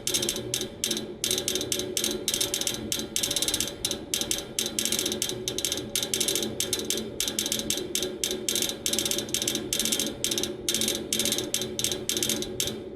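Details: Neighbor's AC outdoor unit idle with fan stopped, motor replaced yesterday: rapid steady sharp clicking, several per second, from inside the unit, not the fan, as if trying to crank something; stops when the fan turns on; source undetermined.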